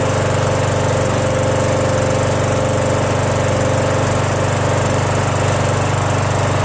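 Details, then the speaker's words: Craftsman 21-inch self-propelled mower with a 6.5 HP Tecumseh engine, after a carburetor cleaning and after being stored on its side with oil in it: a smooth, even single-cylinder chug with no misses or knocks. It runs well. "right up sounds good"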